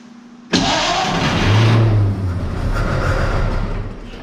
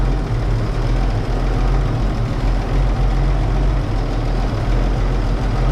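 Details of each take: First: Barn-find 1931 Oldsmobile F31, first start attempt on 12 volts with choke open: starter churns steadily about three seconds, never fires; they suspect not enough fuel reaching the carburetor, though the pump seems to be pumping. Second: 1931 Oldsmobile F31 barn find, first start after removing a cork piece, likely from the homemade fuel-bowl gasket, that blocked the fuel-pump valve; steady, deep, even idle without stumbling or surging, fuel delivery now sound. Normal idle.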